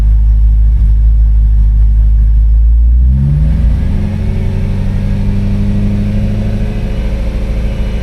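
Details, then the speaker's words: BMW M3 after replacing a sensor to fix a cold start stalling issue; throttle blip gives deep strong rumble settling smoothly back to idle, no breaking up or stutter; engine light gone, runs fine. "Well, you can hear when I give it gas, it sounds pretty pretty fine."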